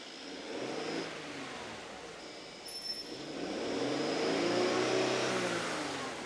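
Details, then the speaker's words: Mercedes-Benz S400 W222 petrol engine, in for engine shaking: revved to about 1500 rpm after clearing fault codes, note uneven and stumbling, misfire counter checked. "Nó đang phát ra âm thanh ầm ĩ."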